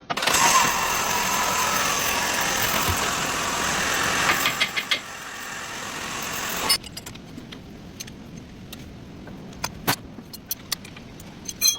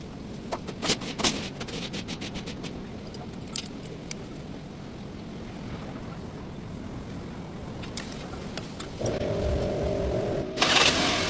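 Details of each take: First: Sonata engine running, belt bearing noise: a loud, rough metallic grinding rush, then a much quieter run with scattered light clicks after the fix. Worn belt idler/tensioner pulley bearing. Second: Hyundai Sonata engine after the belt bearing noise was fixed: some clicks and handling, then the engine starts and runs evenly with no squeal or rattle from the belt drive.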